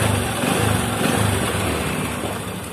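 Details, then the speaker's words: Honda Supra 125 motorcycle engine revved, busy metallic chatter returning over idle from a rattling cam chain; soft tensioner, spring possibly worn or nearly broken, owner unsure. "Bunyi itu akan kembali dengan sendirinya dan menjadi berisik lagi seperti sebelumnya."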